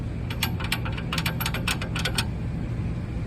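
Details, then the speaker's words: Quick bursts of sharp metallic clicks from the suspension, caused by a customer-installed flip kit (lowering kit) whose end was not pushed into its bolt. "Le client t'a installé un flip kit. Donc tu entends un bruit de clic,"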